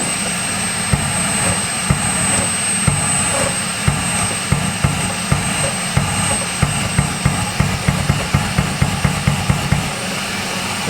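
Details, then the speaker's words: Secondary air pump running with hose reconnected while the solenoid is unplugged and replugged: steady pump drone with a sharp click about every half second as the valve claps shut and open, tone shifting each click; system working. "You'll hear the tone change as I unplug it and plug it in because the solenoid is going to clap shut and it's going to clap open or unclap."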